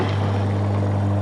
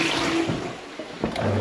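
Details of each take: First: Toilet macerator running after reassembly, steady low motor hum with faint rattle and clicks near the end; foreign object still inside the macerator unit after something was dropped down the toilet. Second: Toilet macerator at a bed and breakfast, reassembled after removing two components from inside: after a short flush, a smooth, steady low motor hum with no rattle; now running cleanly.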